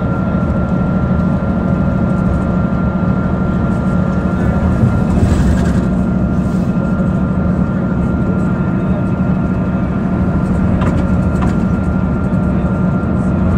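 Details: 2009 Mercedes-Benz CapaCity metrobus with an OM 457 hLA Euro 5 engine (354 hp) and ZF Ecomat 6 HP 602 C six-speed automatic, recorded while driving. A steady high whine rides over the engine rumble and road noise: a rare noisy gearbox.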